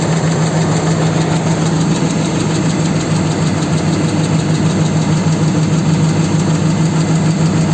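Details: 4.7 engine at idle: dull, fairly regular knock about three times a second over the engine hum; cause unclear.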